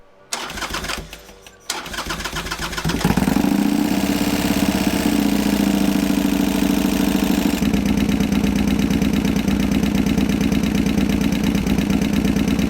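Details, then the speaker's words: Harley Sportster with a 1250 kit, after running dry of oil from a split pump-to-filter hose and then being refilled: cranks and fires, then a loud, rough idle with a hard diesel-like clatter, pointing to bottom-end damage from oil starvation. "so by the time I got back home it had been running dry and if you're curious what that sounds like after you fill it back up with oil here you go"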